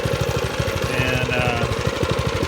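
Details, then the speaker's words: Baja minibike, small single-cylinder engine, first start after carb clean with fresh gas: even, quick thumping beat at steady speed, no knocks or rattles; clutch works and it'll be ridable once the throttle grip is on, though a fuel issue still needs sorting. "no weird nois this clutch works so it'll definitely be ridable once we get this on there"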